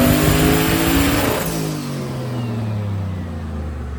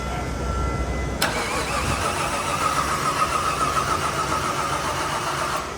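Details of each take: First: Body-swapped 99 Corvette "Jeep" on a dyno, made 580, earlier rich running and weird noises gone; winds hard under load, note drops away smoothly as revs fall, no odd noises: normal engine pull on dyno. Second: Body-swapped Jeep engine restarted after a sudden clack, oil pressure being checked: loose, uneven clacking over the running note that keeps pace with engine speed, sounds rotational, cause not yet found.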